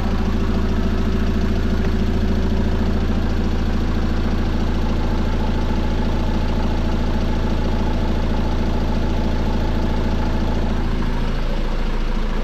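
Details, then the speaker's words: 2015 Peugeot Boxer 2.2 HDI diesel campervan, 130,000 on the clock, idling after a timing chain replacement with oil and filter change. Even, steady diesel clatter with a smooth low rumble and no rattle or knock. Normal idle, running fine. "so that's the timing chain completed running well i'm really happy with that"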